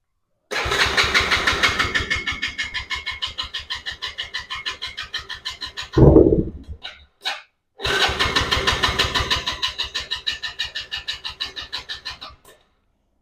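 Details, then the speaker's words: 110cc Chinese ATV with intermittent spark, started with three small squirts of fuel to check whether the carburetor is at fault. It catches late, fires about three times a second for a few seconds, dies and sputters. Owner suspects the valves need adjusting. "it did start temporarily. Um, it was kind of delayed though. So, maybe needs um valves adjusted probably."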